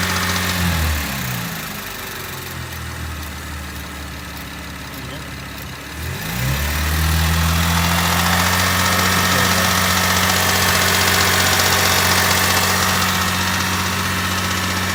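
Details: 2010 Chevrolet Camaro V6, 56k miles: engine revs then settles, with fast, even clacking over the low hum at about 2,000 rpm and below, heard from the rear; owner suspected a heat shield, unsure.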